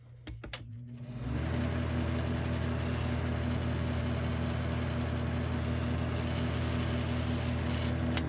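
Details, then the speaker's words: Westinghouse Riviera floor fan with its cracked bottom parts left unscrewed after servicing: starts and settles into a steady low hum with a fine, quick buzzing rattle from the loose base parts. "Of course, now it's going to rattle a bit because these things aren't screwed in. It's a little bit better."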